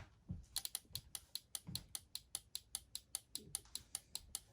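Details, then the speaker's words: Car turn-signal flasher relay working on the right side after wiring-harness repair: crisp, even clicks about two and a half per second, steady and unbroken; normal flasher operation. "Voila. Flasher working. You hear the relay clicking away."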